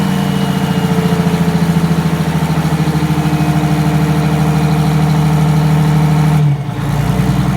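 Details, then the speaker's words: 1962 GM 4106 bus, Detroit Diesel 6V92TA, cold start on a 39-degree night: started right up into a deep steady two-stroke diesel idle with an even pulsing beat, no knocks or misses; healthy cold start. "well that wasn't so bad it started right up"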